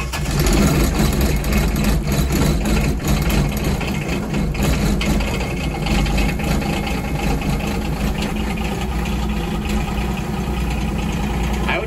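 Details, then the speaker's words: 2210 tractor diesel cold start at about 8 degrees after the key-on clicking (thought to be the glow plug system): short crank, then it catches and settles into a steady low clatter at idle. It starts easier than before. "yes that that did seem easier it didn't turn over nearly as long so maybe you all are right and that is the glowflex system that's just not described in the manual at all"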